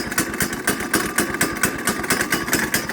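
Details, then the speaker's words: Kid-sized go-kart with a small Honda single, running after a cold start with the choke taken off. A steady, quick, even beat with no misses runs cleanly, though it is said to have some trouble idling: normal running. "that's better as you can see it runs great good engine it will move but it's it's uh as you can see it has some trouble idling"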